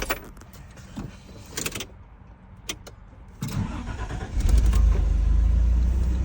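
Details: Toyota T100 / 4Runner 3VZE 3.0 V6 with check engine light, cold engine; keys rattle, then starter cranks a long time before it catches and settles into a rough idle.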